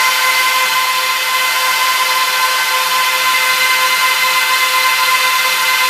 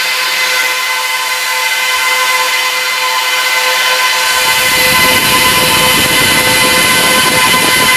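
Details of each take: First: Trash-picked Dell PowerEdge 1750 server powering up to boot from CD: loud steady rushing hiss with a few fixed tones from all 14 fans at full speed, no surging or rattle; normal power-on fan noise. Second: Trash-picked Dell PowerEdge 1750 server, doors closed, while clearing RAID configuration: fans surge to a loud, steady high-pitched roar and stay at full speed; owner suspects panic mode, tries powering the second power supply.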